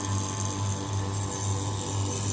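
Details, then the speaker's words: Vacuum pump evacuating an AC installation after a slow-leak repair, gauge needle dropping toward -30 psi, left running about 30 minutes: steady low drone with a slight regular throb and faint hiss. Running normally. "jarum turun dan proses pemfakuman berlangsung oke ya biarkan saja kurang lebih 30 menit ya proses pengkalaman ini"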